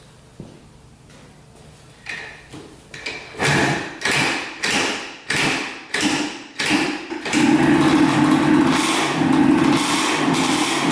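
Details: 1984 Yamaha IT200 two-stroke dirt bike after fixing no fuel flow to the carburetor (carb leaking slightly, air leak suspected): kick-like bursts about twice a second, then catches into a steady, even idle; normal start and idle.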